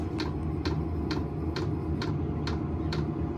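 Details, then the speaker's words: Silvel 5 kW diesel heater on lowest setting, powered via separate AC-to-12V DC supply after power station's 8 A port failed to start it: regular fuel pump ticks about twice a second over fan and burner roar, exhaust flowing; normal startup. "but now you can hear it firing up a little bit there's exhaust coming out I can hear it looks like it's going to work"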